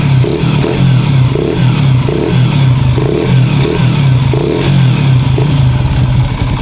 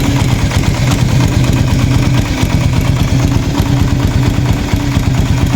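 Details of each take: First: Raider 150 FI motorcycle at about 43,000 km after cam chain tensioner reset, revved: steady low hum with light pulsing about every half second, no sharp ticking; humming is normal after a reset, engine running normally. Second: Raider 150 FI motorcycle at 43,904 on the odometer before tensioner reset, at startup: light, fast ticking rides over the idle and doesn't settle after start; persistent ticking means the cam chain tensioner needs resetting.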